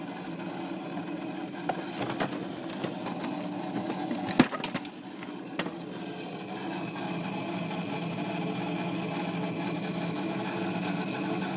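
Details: Refrigerator running with a low steady hum and scattered clicks and ticks in the first half; abnormal noise of unclear cause; turning the temperature down stops it only temporarily before it returns.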